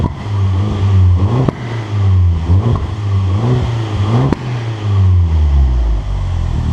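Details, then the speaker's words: Abarth Punto Evo, bought as a listed non-runner, revved in normal then sport mode: repeated quick blips rise and fall cleanly with a loud straight-through exhaust note (back box only), no knocks or rattles; normal revving. "It's a noisy little bugger, isn't it?"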